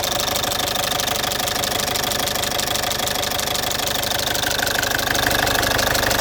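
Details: Citroen C5 2.0 HDi 100 kW diesel at idle: loud, with a sharp steady tick about three a second. Owner suspects the injectors area, unsure. Injectors, piston rings, valves and valve seals were redone 15,000 km earlier.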